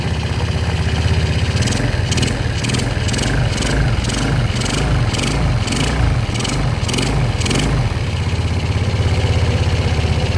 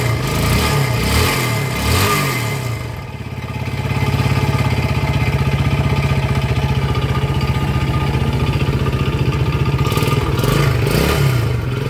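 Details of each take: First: Yamaha Jupiter Z single-cylinder engine after rebuild, oil refilled and oil confirmed reaching block and head; starts at once and settles into a steady, even idle with a short rev, no knock, now very smooth unlike the earlier noisy engine. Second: Yamaha Jupiter Z, before repair, kick-started because the battery seems dead, dry exhaust; rough idle with a regular deep knock on each firing that rises with throttle blips; worn connecting rod knock.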